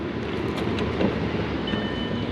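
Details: 2000 VW Passat 2.8L V6 4motion idling after crank/engine speed sensor replacement for stalling: steady, quiet, even hum with no knocks or misses, small exhaust leak noted under throttle.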